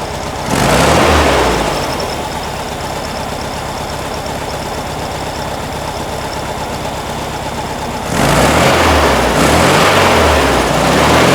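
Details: 1957 oval-window VW Beetle generator engine after idle and fuel mixture adjustment to cure a bog: brief rev blip, then steady even idle with no stumble, then another rev; smooth idle after tuning.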